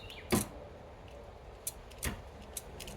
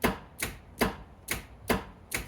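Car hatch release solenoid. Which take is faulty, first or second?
first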